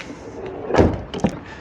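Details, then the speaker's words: Car doors after their hinges were lubricated: two clean movements, a soft swing and a thud, with no squeak or creak; the hinges are now quiet. "Can you hear it? No, nothing. No more squeaking."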